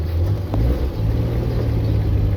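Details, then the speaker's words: Daewoo Damas manual gearbox after repair for grinding when shifting 3rd to 2nd and popping out of 2nd, reassembled without play. On the test drive, steady low rumble under light throttle with no grinding or whine. Gearbox healthy. "Xudo xolasa mana korobkamiz ham tayyor bo'ldi. Sborkasini qildik, endi test drive qilib ko'ramiz, Xudo xolasa."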